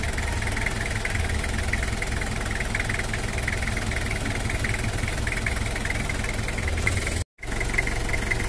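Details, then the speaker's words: Toyota Kijang LGX diesel after cylinder head service and valve adjustment, injection pump possibly to be re-set: steady, even idle with firm low rumble, no stray knocks or misses, neither smooth nor rough; normal diesel idle. "suara standarnya untuk Kijang LGX diesel enggak terlalu halus dan juga enggak terlalu kasar"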